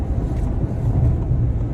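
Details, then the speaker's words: 2023 Ford Explorer, about 2,900 miles, on interstate at 60–90 mph, cabin mic, after adding washers and nuts to M6 bolts on underbody felt panel: steady road and wind rumble, former passenger-side wind rattle gone; quiet normal cruise. "you can hear it over here on the passenger side and I am not hearing it anymore"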